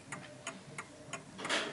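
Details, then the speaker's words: 1950s Smiths Enfield striking mechanical mantel clock ticking evenly in beat when set level, crisp ticks about three a second, before being tilted onto an uneven surface to show center-of-gravity adjustment. "that is ticking away quite nicely"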